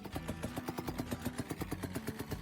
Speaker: This customer came in saying, "My son borrowed the car for a few days, but now it sounds like one of them old boat engines."